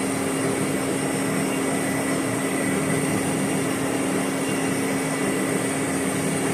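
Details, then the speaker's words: Boring the Volvo axle for a repair sleeve at 20 RPM, tool just made contact: constant buzzing drone under the slow cut, boring tool chattering, a hundredth to go on depth; factory surface was similarly chattered. "yes there's the chatter we've got a 100 th to go on dep"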